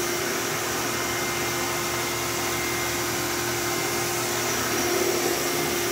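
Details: Old bagless Phantom Thunder vacuum with a dusty motor, running on high after a tripped reset button was pressed: a smooth, steady motor whine at one constant pitch with no rattle or surging. It puffed out dust but is quiet and healthy.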